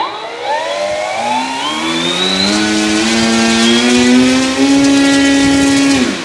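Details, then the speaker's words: E-flite Commander mPd 1.4m electric RC plane after crash and repairs, motor mount possibly knocked: electric motor and prop spool up smoothly, clean tone climbing with throttle then holding even, no rattle; sounds better than before, normal run-up. "I think that sounds better than it did before better okay throttle Cuts back on and tested"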